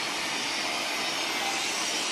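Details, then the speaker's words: Evaporative air cooler after a fan bushing repair with hot glue, reassembled: steady, even airy rush with no rattle or scraping, and the pump is working normally; finding: normal running. "โอเคปั้มปั้มทำงานปกตินะครับเสียงอาจจะเบาเข้านะตอนนี้"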